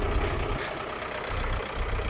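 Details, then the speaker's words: Daihatsu Rocky Fourtrack diesel, barn-stored about 5 years, at idle right after its first start following battery fit and preheating: steady, even clatter with no stumbles or knocks; started easier than expected, normal idle. "And it's not even smoothie. That started a lot easier than I expected."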